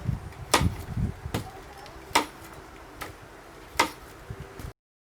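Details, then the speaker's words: ST&G K1-K3 Green Family prosthetic knee giving sharp, loud pops about once a second as it snaps into lock-out, over faint handling rustle; the stance flexion adjustment is loosened far beyond one and a half threads. "now if you really loosen this it will make a loud pop and it will really lock out the knee and you can see how it increases the noise"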